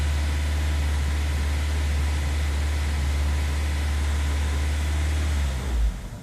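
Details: 1999 Honda CR-V first startup after battery disconnect to clear codes: idle dips very low then recovers, roaming with slight uneven surge and sag before cutting off; hunting idle, cause suspected, not confirmed.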